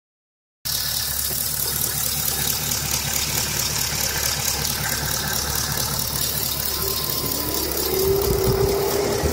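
Steady idle with a light, fast tick riding on top, about four a second, even and unchanging; possibly a noisy lifter.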